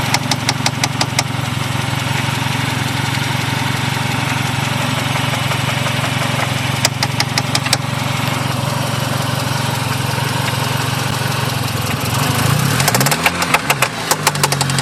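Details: 1G Talon AWD, suspected rod knock: steady idle with an uneven knock about three per second; owner unsure whether rod knock, dead lifter, binding valve spring or failed transmission.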